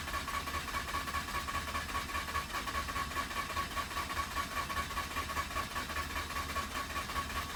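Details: Mazda RX-8 rotary that shut off while parking, after reseating connectors: steady starter whirr with an even, slow pulse for several seconds; engine turns over but never catches; crank, no start.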